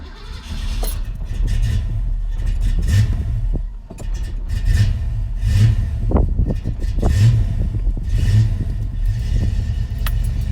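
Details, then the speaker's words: 1991 Foxbody Mustang GT V8, first start after installing Holley Terminator X fuel injection, before resetting timing: low idle surging and dipping; idle not yet settled. "yeah baby we'll have to settle in the title a little bit well she's running"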